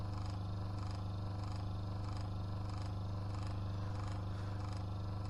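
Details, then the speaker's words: Small Adler twin-knob washing machine motor that hummed but would not run, bench-tested on 239 V drawing 0.7 A via capacitor start winding: steady low electric hum with faint even pulse about twice a second, running normally. "зараз я його включу в розетку І спробуєм що він в нас запаёт заспіває крутиться нормально"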